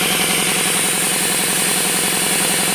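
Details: RamAir electric air compressor, revived after motor seizure and broken-fitting repair, running at about 50 psi: a fast, even motor-and-pump drone with a constant hiss from an air leak at the regulator.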